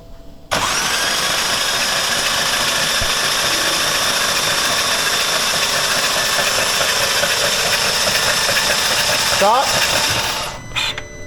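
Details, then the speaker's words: BMW M4 S55 after dyno failure, injectors disconnected, lubricant in cylinder 4: about ten seconds of whirring starter cranking with an uneven galloping beat as cylinder 4 keeps blowing material out; lost compression, holed piston. "Yeah, cylinder 4 keeps blowing a bunch of shit."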